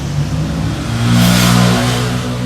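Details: Ford EcoSport 1.6 petrol revving with a rough, clattery hum as the timing chain slaps on a broken chain guide; oil warning light came on, with guide pieces clogging the oil pickup.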